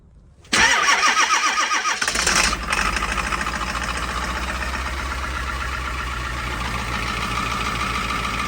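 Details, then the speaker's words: Diesel after winter storage at 11°F, fuel added to filter and primed after 15-20 minutes to thaw tank. Cranks, catches, uneven lumpy idle; owner suspects air in lines and bad, gelling fuel. "Still not sounding too great, but it might have a lot of air in the lines and bad fuel still, so whew."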